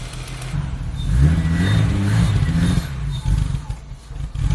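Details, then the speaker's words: BMW E30 323i Baur after sitting 10 years, running only on starting fluid sprayed into the throttle body; revs surge and sag unevenly for a few seconds. Tank needs flushing, no fuel reaching the engine. "So I know you all want to hear it run, so I've got a fresh can of starting fluid here. Got a new one this time, and I'm just going to fire it into that throttle body and just let it run for a little bit."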